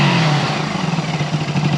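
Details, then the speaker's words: 1974 Honda CB360 twin after carburetor diagnosis and repair, earlier running on one cylinder: steady even twin burble, smooth pulsing, no misfire, now firing on both cylinders; normal running. "now it's running the way it's supposed now let's take the sucker for a ride"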